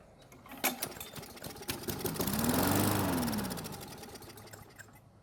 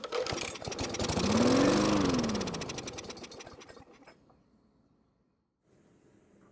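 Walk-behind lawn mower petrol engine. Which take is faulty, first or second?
second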